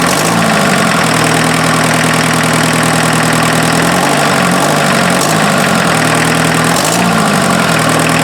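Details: Mazda offroad truck with its freshened replacement diesel engine on first run after the timing belt was fitted (owner wondered if the belt was a tooth off): steady, slightly lumpy clatter settling to an even idle, no knocks, no cooling-system smoke; normal diesel idle.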